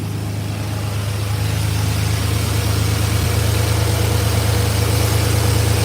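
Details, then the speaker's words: 1986 Chevrolet C10 with throttle-body injection: the engine stumbles with a steady low rumble and uneven beat as it revs, running lean-sounding above idle. Fuel pressure checked within 14–18 psi and holds; TPS already replaced. Check engine code 44 returns. Injectors or fuel pressure regulator suspected, not confirmed. "So it's stumbling, right? So it is. All right, now look."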